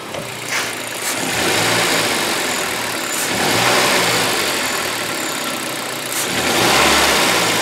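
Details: Toyota Corolla 1.8 petrol idling with an uneven, stumbling, surging beat: a misfire persisting after coil and spark plug replacement. It is suspected to be caused by poorly flowing injectors, which showed considerable flow differences on a test machine.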